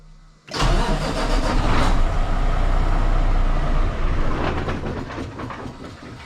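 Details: 2022 Kenworth W990 with a Cummins X-15 diesel, first start after changing both fuel filters and priming by cycling the key four times: the starter cranks evenly for several seconds, but the engine never catches. Cranks, no start.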